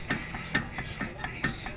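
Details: 2004 Subaru Impreza, passenger side: dull clunks about twice a second as the wheel is rocked by hand, showing excess play from a worn wheel bearing; it is thought to also cause a loud clunk coming down the driveway.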